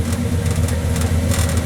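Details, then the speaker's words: Impala V8 after an oil leak was fixed, heard at the tailpipe: a deep, steady, even burble with no misses, a healthy idle, though it puffs a little smoke after sitting a long time. "There's the exhaust. That's what she sounds like. Sounds pretty good."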